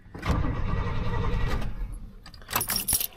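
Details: 1986 GMC square-body truck, first start attempt in 9 years after finding a kill switch, clutch pushed in: keys jangle, then a low uneven churning as the starter cranks the engine, with no firing yet.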